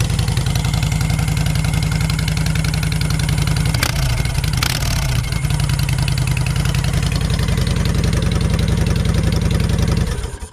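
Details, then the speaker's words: Motorcycle V-twin with Cobra 2000 EFI controller, breather off: loud lumpy potato-potato idle, steady throughout, then cut off; not too bad, normal idle. "There you go. Not too bad. Of course, the breather's off of there. So that's pretty much what it sounds like."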